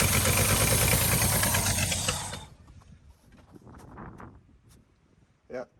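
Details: Abandoned 1962 International Harvester B-series farm truck, long-sitting: catches and runs rough a couple of seconds on gas poured in, then dies; not getting fuel from the tank.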